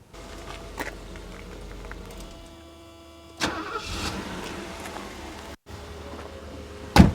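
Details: 1983 Mercedes 380SL 3.8-litre petrol V8, well maintained, twin-row timing chain conversion: no glow needed, brief crank, then it catches cleanly and settles into a quiet, even idle; normal start.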